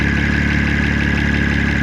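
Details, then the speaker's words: 2005 Honda Odyssey EX-L 3.5L VTEC with VCM, idling under the hood after a road test: smooth idle with light, fast, even ticking on top, judged injector noise and not valvetrain. Said to be typical of these engines, not bad injectors. "A little bit of injector noise on the top, but nothing extraordinary. It's not on the valve train."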